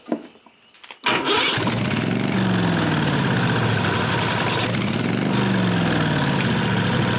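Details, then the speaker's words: 1998 Briggs & Stratton Vanguard 16HP horizontal-shaft V-twin, cranked on jumper cables after replacing a dry-rotted fuel line. The starter turns it over at about 3–4 pulses a second but it never fires. The owner believes the unwired carburetor fuel shutoff solenoid was closed, blocking fuel. "Alright, I think I figured out what the problem is. I forgot all about this engine having a fuel solenoid on the carburetor."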